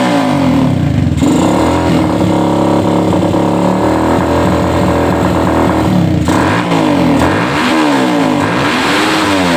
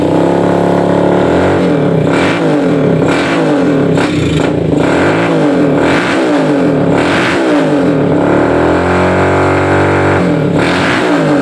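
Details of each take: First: Suzuki Satria FU 150 before rebuild, slow to gain revs: revs in lazy sweeps with pitch climbing late, never reaching a high-rpm scream; valve shims found mismatched, one thick and one thin, replaced along with porting. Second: Suzuki Satria FU 150 single-cylinder after porting and new valve seals, previously slow to rev: revs up and back down repeatedly, exhaust note rising cleanly and evenly with no knock or rattle; sounds healthy.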